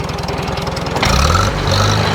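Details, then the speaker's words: 1947 Farmall A tractor warmed up with the PTO engaged for a light load after a switch left on overnight drained the battery; only the switch burned, and the coil now stays barely warm. Even firing deepens and steadies under load, no misses: normal running. "Go on. Give it a little load. See how it stays running."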